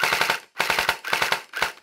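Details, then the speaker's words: Hydro Strike Pulsar Pro gel blaster after backing motor off until smooth: short full-auto bursts of sharp shots about twelve a second, no gear whine; correct pinion-to-bevel gear mesh. "so you back it off until the motor sounds smooth"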